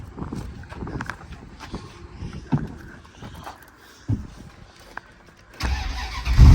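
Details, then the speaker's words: Older V8 car at a salvage auction yard, possibly with a fiddly connection: slow uneven cranking pulses, then it catches and roars up to a steady run. A healthy, surprisingly easy start. "Oh yeah, there she goes. Started right up, guys. That was very surprising."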